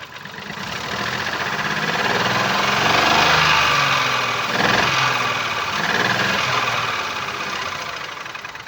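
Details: 2019 Ford Focus IV 1.0 EcoBoost (998 cc, B7DA petrol, 125 PS, 91,787 km) with no compression in cylinder 1. Lumpy, uneven idle with a repeating stumble about twice a second: a misfire.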